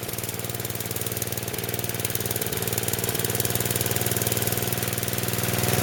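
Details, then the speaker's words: Snowblower small single-cylinder engine on 85-octane gas, after auger repair with new drive belt: steady even beat gradually building, no knocks, slipping or squeal; runs smooth, better than the old chattering belt. "oh that belt works really good sounds really smooth everything does um a lot better than it did before"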